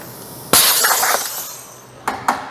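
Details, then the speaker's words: JD Squared RC6 rotary cutter, round-tube stabilizer setup: air to the machine disconnected, sharp hiss of releasing air then two quick metallic clacks as the de-energized marker system drops, normal. "okay you could hear the stabilize i'm sorry the marker system they fell once they are de-energized there's no air going to them they will naturally fall"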